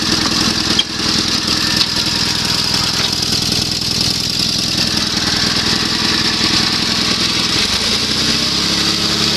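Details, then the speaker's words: Sears SS16 with an Onan twin after a Craftsman voltage regulator and fuel pump on the tank running old gas. A low, steady, even twin idle with no misses or knocks, which could go lower. It smokes a little under load, and the owner says it may need plugs or rings. "idle's nice and low it would idle lower if i turn the idle speed down a little"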